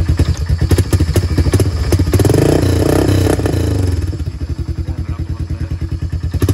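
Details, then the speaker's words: 1994 Honda 300 Fourtrax after exhaust repair using an Fo-4 tractor exhaust; steady even single-cylinder thump, slightly louder than factory but not obnoxious, clean and regular, healthy exhaust note. "a little bit louder but not obnoxiously loud the straight pike was ridiculous"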